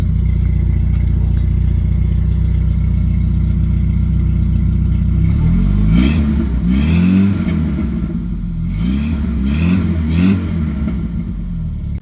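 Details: 1991 Jeep Wrangler YJ 2.5L four-cylinder with Flowmaster Super 44 muffler fitted: deep even idle, then two clean throttle blips rising and falling smoothly; engine and exhaust sound healthy.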